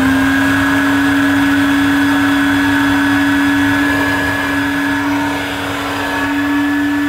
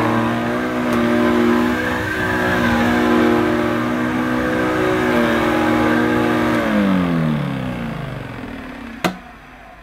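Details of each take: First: Old, faded Electrolux 502 vacuum bought as a donor machine, which the seller said worked, run for the first time: loud steady drone with a hard fixed-pitch hum and coarse rushing air, not how it should sound; owner suspects a motor swap is needed. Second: Electrolux 502 Super vacuum running after cleaning up, compared with a damaged Electrolux 502: clean, steady motor hum at even pitch, winding down smoothly when switched off; it sounds a lot better.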